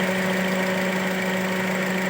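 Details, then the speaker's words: 2010 Toyota Altis that won't rev and shakes at low idle with the AC on; coil-swap test with cylinder 3's coil moved to cylinder 2: lumpy, shaking idle, confirming the cylinder 2 ignition coil is faulty and needs replacing. "ตอนนี้เราเปลี่ยนคอยดูแล้วครับมันจะสั่นหรือเปล่าครับอ่ะตอนนี้สั่นแล้วนะครับผมสั่น"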